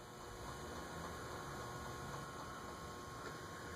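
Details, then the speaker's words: Vintage Carib 36-inch ceiling fan with cast-iron spinner motor on a speed control: steady loud electrical buzz with a thin high tone while stalled, drawing about 0.4 A before it starts to move. "It's buzzing loudly, but not moving."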